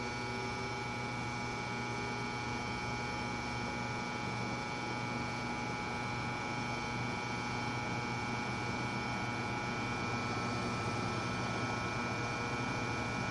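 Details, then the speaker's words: Vintage McGraw Edison box fan on low after cleaning motor bearings and bushings, previously overheating on low within 30-45 minutes: low steady hum with faint whirr, no ticking, scraping or wobble; runs smooth. "that well I am going to let it run on low for about half an hour check it periodically see if the motor heats up"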